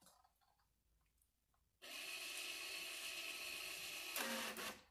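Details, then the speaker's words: 2014 Audi Q5 rear caliper electronic parking brake motor, powered from a jump box during a pad change: a high, even whir for about two seconds, then the note drops as it loads up; normal. "right so that was the sound so as you hear that sound get off of it we're gonna try to twist that piston back in"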